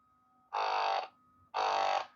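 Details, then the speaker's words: Pixapresso portable espresso maker modded non-pressurized, ground finer (setting 71): two short bursts of strained pump buzz cutting out and restarting; pump chokes, can't push water through the too-fine grind. "means that it can't push the coffee. It stops. It keeps stopping because that's a finer grind for what the machine can handle."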